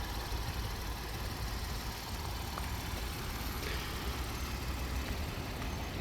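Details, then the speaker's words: 2018 Honda Odyssey van during pre-purchase inspection: smooth, even low idle rumble with no ticking or knocking; engine sounds good, normal idle. "The vehicle is currently running and sounds good. normal."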